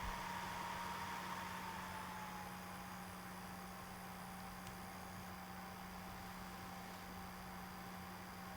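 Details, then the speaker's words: Atomos Ninja V monitor on AtomOS 10.72, cooling mode changed while recording a few minutes: soft, steady airy hush with a faint even hum, no ticking or rattle; fan much quieter, running normally. "so as you can hear that's a lot quieter the ninja has been recording for a couple of minutes now"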